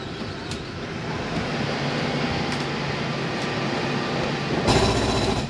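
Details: Gulf Stream 295SBW travel trailer slide-out retracting: steady motor hum, then a short rough grinding burst as the room bottoms out; clutch slipping at end of travel, normal.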